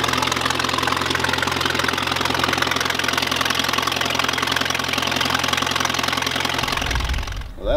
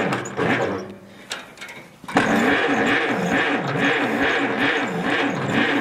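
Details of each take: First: 1951 Allis Chalmers WD tractor running at fast idle after first start in at least 10 years, new coil and points fitted; steady, fairly even four-cylinder beat with mild exhaust chuff, then shut off, normal running. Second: 1951 Allis Chalmers WD tractor, not run in at least 10 years, cranked after the distributor cap was checked: the starter turns the engine in a slow, swaying rhythm about 2.5 beats a second without firing; cranks, won't start, cause not confirmed.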